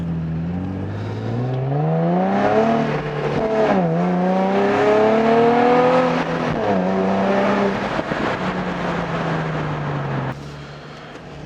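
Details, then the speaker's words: Nissan 350Z with Cobra non-resonated exhaust and TP34 tips, camera resting on a bag beside the driver on a straight-line run: note climbs cleanly through the gears, then settles to a steady drone; normal acceleration. "c'est un truc de malade je sais pas si vous vous rendez compte à la caméra mais mais c'est incroyable son qu'elle nous produire"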